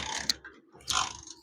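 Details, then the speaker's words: Motorcycle in rain, kick-started with a wet spark plug cap; sharp snapping crackles and hissy bursts, engine not catching: high voltage shorting at the plug cap, causing no start or misfiring. "ये आवाज आ रही है। ये प्यारे भाई ये आवाज है बेसिकली करंट सेटों पे शॉर्ट हो रहा है, शॉर्ट हो रहा है।"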